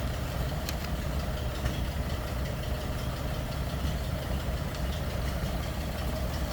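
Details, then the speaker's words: 1936 Ford Woody Wagon with flathead engine, heard from around the back: low, even, smooth idle burble with no knocks or misses; normal idle. "sounds like you'd expect a flathead to sound kind of that distinct engine sound coming from the"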